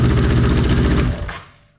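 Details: 1983 Honda CB750 first start after sitting at least 10 years, running on an external fuel source with tank removed: deep, rapid firing pulses run evenly for about a second, then engine cuts out; fires and runs after long storage.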